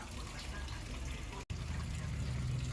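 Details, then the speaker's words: Toshiba AW-B1000GT washing machine: water keeps rushing steadily into the tub with no cutoff, so it overfills. The cause is insects blocking the pressure switch tube. "อาการเครื่องคือน้ำล้นนะครับสั่งซักผ้าแล้วน้ำไม่ตัดนี่นะครับสาเหตุก็มาจากนะ"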